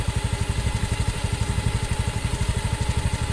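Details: Honda Beat FI scooter, misfiring after a service, now repaired: even, steady idle putter, no stumbles or misses; fault was only bad O2 sensor readings, sensor repaired not replaced; fuel pump pressure normal, fuel filter not replaced.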